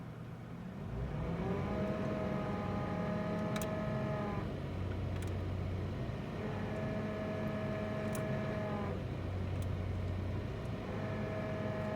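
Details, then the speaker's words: 2005 Toyota Tacoma with the AC on: a clear high whine climbs in pitch each time the throttle is pressed, then fades back at idle; the owner doesn't know the cause. "all right so my 2005 Toyota Tacomas making some weird high winding noise and I can show you guys right here never I turn the AC on and press on the gas"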